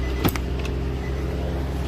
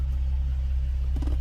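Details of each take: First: Infiniti G37/G35/Q40 at idle with AC off and nothing switched on: steady low whir of the engine cooling fan running constantly (about 99.9% of the time), no overheating, coolant at proper level; louder closer to the fan; faulty fan control module, to be replaced. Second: Infiniti G37/G35/Q40 after replacing the engine cooling fan module; engine idling with AC off gives a quiet, smooth low rumble with no fan roar. The fan now stays off until the engine gets hot, as it should.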